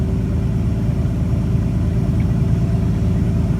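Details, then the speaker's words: 1962 Ford Falcon, carburetor with manual choke partly on, after the electric fuel pump has pressure again: steady, even low rumble, smooth regular beat, no knocks or misses; runs great, normal idle while warming up. "But now she runs great, so we're gonna let her warm up, turn the choke off, put the air cleaner on, drive around in here just a hair, and we'll go from there."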